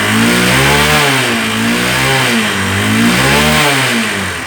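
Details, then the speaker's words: Honda Unicorn single after replacing the carburetor slide set, whose diaphragm had tiny holes that caused popping, hunting idle and bogging: it now revs cleanly through throttle blips without hesitation, and the idle is steady. "அது ஸ்லைட் செட்டை மாற்றினேன். வண்டியுடைய சவுண்டு பாருங்கள். இன்றைக்கி வண்டி பீட்டே மாறிடுச்சு. ரேஸ் ஆகுது."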